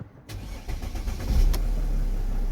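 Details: Mercedes-Benz C-Class W204 previously a crank-no-start, diagnosed over the DLC; quick crank, then catches promptly and rises into a steady low idle, a bit lumpy after long standing; starts normally.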